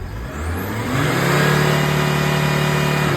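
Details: VW Crafter 2.5 diesel just restarted after valve stem seals and timing belt: smooth revs rise and settle evenly with no knocks or misfires, a little black smoke on first clearing; healthy.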